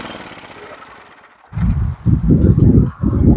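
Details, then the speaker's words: MTD tiller starting after a couple of pulls after long sitting, no choke, carburetor previously redone; quiet pull then uneven low chugging run at about two beats a second with gaps, running fine. "Okay, that sounds pretty nice. And starting after a couple of pulls, after all that time sitting, I'm pretty happy with her."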